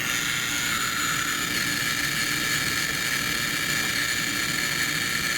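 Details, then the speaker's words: High-voltage generator powering a gas discharge tube (electron beam through near vacuum): steady hissing buzz with fizzing high edge and faint hum, crackling like a neon light. This is its normal running noise. "that noise that you hear that's just that high voltage generator if you ever put your ear next to a neon light it kind of makes a crackling noise as well"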